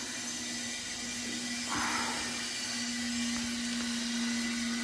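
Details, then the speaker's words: Hot-water boiler refill after bleeding to 0 psi, with a bad Honeywell power head and stuck ball valve replaced: the feed valve is opened and the fill valve starts filling the system toward 12 psi. Steady rushing hiss with a faint low hum; normal water flow. "this is the bypass. Right now it's gonna fill it up to 12 pounds of pressure because this valve is designed to do that."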